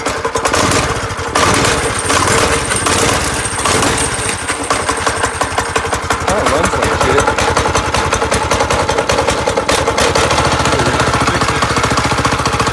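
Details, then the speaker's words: Small single-cylinder engine on a vintage go-kart, first run after mounting: slow uneven thumping, stumbling and surging, a little smoky; idle low and rough, cause unknown. "She's a little smoky, but she lives. The idle's a little low."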